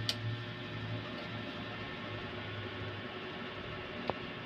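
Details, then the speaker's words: Kevler GX5UB Pro amplifier with four speakers, whose sound cut out suddenly: when plugged in there is only a low hum and faint ticks, with no relay click, so the amp stays muted. "Wala pong pumitik na relay."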